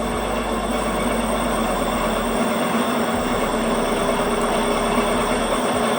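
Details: Xiaomi Mi electric scooter whose electrics were damaged by a scooter hack app, controller light red, stuck in S mode: the hub motor keeps whining with no throttle and the brake won't stop it.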